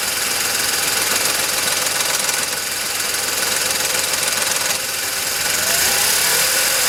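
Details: VW Polo 9N 1.2 12V at 198,000 km, idling: sharp metallic knock about three times a second over a thin, buzzy idle, developed over time and heard only at idle; owner suspects the timing chain but is unsure.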